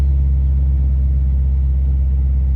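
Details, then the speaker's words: 2001 BMW 750iL Sport cold start in snow after sitting about a week, owner expected noise and oil burning; settles into a deep, steady, even low rumble at cold idle with no whine or rattle; normal. "let's see if it cranks up it's probably gonna make a lot of noise oh not bad actually there it is"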